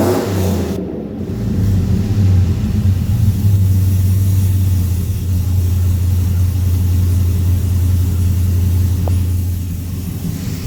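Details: 2003 Chevrolet Silverado (GMT800, short bed) after Speed Engineering headers and full exhaust install, with extra clearance made to stop rattles: deep, even V8 burble swelling on throttle and settling back, no rattles or buzzing. Normal exhaust note.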